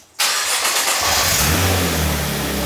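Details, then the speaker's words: Crash-damaged Nissan GT-R: cold start with a crank, quick flare, then a smooth steady idle with no crackling, rattling or banging, first smooth idle since purchase. "Woo! No crackling and rattling and banging. Dude, this is smooth. Wow. That This is the first time since we bought this car that this thing has idled smooth."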